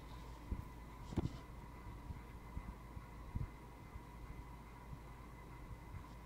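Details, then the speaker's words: 2004 Hampton Bay Landmark III 42" ceiling fan, about ten years old, on medium speed: a faint, steady electrical buzz with a thin tone over the fan's low hum. The motor buzz appears on medium, cause unclear. "am i hearing buzzing i don't know if you can hear her but i can hear buzzing"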